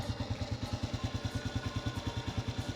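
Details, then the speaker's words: Honda motorcycle with sidecar, over 10 years old, parked about a year, no battery fitted: small single idles with a quick, even beat, with only a faint light chain rattle; slight chain noise. "ดังโซ่บ้างเลยครับรถมัน10กว่าปี"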